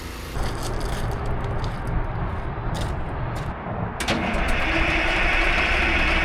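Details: 1960s military crane diesel, sitting its whole life with 81 original hours, running again after acting starved for fuel: steady low rumble with some clatter and scraping, idling evenly; a hydraulic leak remains.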